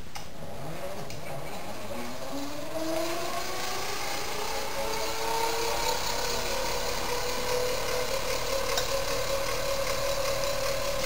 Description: It was sold only out of Family Handyman Magazine, and it runs off gears. Very rare, and very noisy.